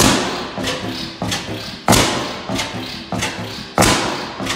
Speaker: is a noisy thing. All right, well, she does run still. Glad to hear it.